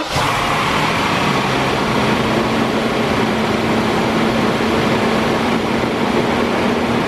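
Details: BMW 760Li, N73 V12, cold start right after engine air filter replacement: loud steady whooshing drone over smooth idle from the secondary air pump, normal, staying active around 90 seconds on startup.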